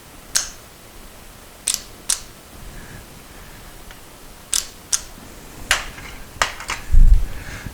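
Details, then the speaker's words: 1973 Moto Guzzi during rewiring with a new fuse panel and added relays. With the key off, working the headlight switch to low beam makes sharp, clean clicks a second or two apart; both high- and low-beam relays are clicking because the switch feed is always hot. "nothing happens when i turn the headlight switch on but when i switch to low beam you hear that relay click"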